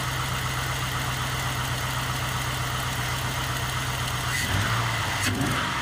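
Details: GM 5.3L LS-swapped Suburban with a dead-cylinder misfire since the swap, restarted after repair work: idle with a slightly uneven, stumbling beat and occasional dips, light miss still present; small tick suspected exhaust leak from broken manifold bolts.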